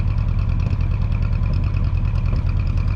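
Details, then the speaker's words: 1967/1968 Ford F100 V8, first start in about 10 years, just after carburetor adjustment: low lumpy idle with an uneven beat about three times a second, as if one cylinder is dropping out; idle misfire. "that truck's running pretty good sounds good is it smoking after 10 it's got to look how that joker's sitting up we got big old coil springs still missing on one"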